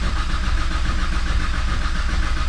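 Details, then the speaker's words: Nissan Skyline R33 fresh big-turbo build (8.5:1 CP pistons, GT3582R, aftermarket oil pump), cranking to build oil pressure before first start: steady full-speed cranking, no longer dipping as before, indicating full compression; normal cranking. "i will say too that this thing sounds really good right now it's cranking on full it's not dipping like it was before so let's let so that lets me know that we got full compression"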